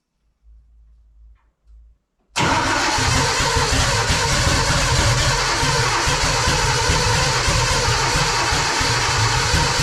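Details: Car at first start-up: weak cranking bursts then loud lumpy uneven running; ignition trigger offset set 360 degrees out, it ran fine on crank sensor only, fault later corrected.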